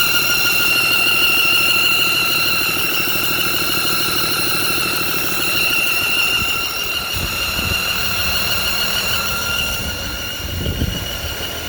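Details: Freightliner M2 106 Business Class with Cummins diesel idling: piercing steady squeal near 1.4 and 2.8 kHz over the idle, sounds like a belt but belt fine; smoke on revving traced to leaking exhaust manifold gasket.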